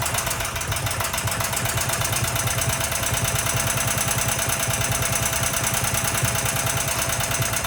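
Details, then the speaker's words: Predator 420 single-cylinder, about a year old, after valve lash adjustment: quick light tapping at about two per second over idle; knocking, owner suspects lash set too loose but is unsure. "But then I'm also like, maybe, I don't know, the knocking is not actually the valve lashes, even though I know that"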